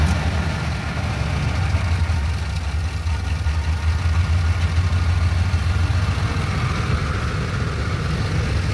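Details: 2009 Ford E250 cargo van, 4.6 L, after replacing broken engine belt and tensioner: steady, even low idle with no squeal or chirp from the belt area; smooth and healthy.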